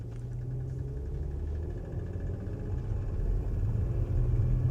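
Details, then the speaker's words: Steady low idle with a faint, irregular light rattle on a Porsche Macan bought at auction with a known engine issue; it seems to come from the passenger-side right-hand corner, cause not pinned down. "So, that was the rattling they were talking about. And although it's not really bad, the engine still runs and it's not immediately obvious."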